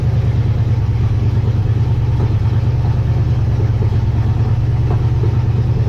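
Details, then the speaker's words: 1958 Dodge Coronet Lancer V8, barn find that sat 30 years, idling in cool weather: lumpy, uneven beat, about three pulses a second, some firing strokes missing; not running on all eight cylinders, owner suspects the points. "I'm definitely convinced it's not running on eight cylinders"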